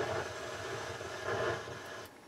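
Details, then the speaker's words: Harman Kardon HK580i receiver: constant rushing hiss in the left channel, independent of volume, with the subsonic filter switched in, intermittent at power-up; owner suspects a bad solder joint in the subsonic filter circuit. "sometimes it starts up there's a lot of noise in the Left Channel and it's a rushing uh sound doesn't sound good so the problem with this is the subsonic filter"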